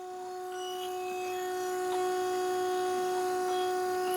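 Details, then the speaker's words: 2016 Audi A3 e-tron plug-in hybrid, DQ400 DSG with code P2884 (drives only electric): transmission oil pump run by scan tool for oil level check, steady mid-pitched electric hum swelling then cutting off cleanly; normal electric oil pump operation. "now let's start the procedure with the scan tool and you will hear the pump start running there we go"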